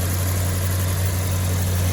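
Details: 1991 Peugeot 205 GTi 1.9 at warm idle, bonnet area; even steady low hum, no ticking or under-bonnet whine (a whine suspected from the fuel pump under the car after 30 seconds from startup); engine sounds healthy.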